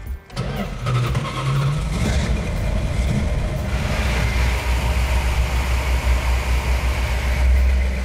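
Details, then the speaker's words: Plymouth Cuda with rebuilt 340 V8 (previously sabotaged with sand), 65 psi oil pressure at idle: catches and settles into a deep, even idle, no miss, hiccup or noise, smooth like butter; normal idle. "It runs like a dream. It doesn't miss. It doesn't hiccup. There's no noise in it."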